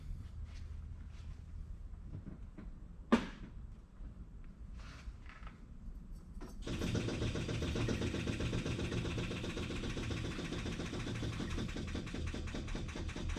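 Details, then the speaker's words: 1963 Ferrari 330 America after carburetor accelerator pump work; ignition on, engine not running, quiet ticking then steady rapid buzzing as the electric fuel pump fills the carburetor float bowls normally. "the fuel pump filling the bowls fuel's coming from back here and it's coming up through here filling up each of these and you can hear it fill in the bowls"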